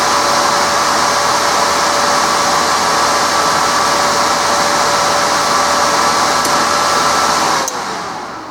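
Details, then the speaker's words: Resanta 190K inverter welder after replacing two shorted zener diodes in the transformerless standby supply; smooth, even fan rush with faint steady hum, no rattles or pitch wobble, spins down at switch-off: normal cooling fan. "Ну и теперь все работает стабильно. И по звуку вентилятора слышно, и по светодиодам."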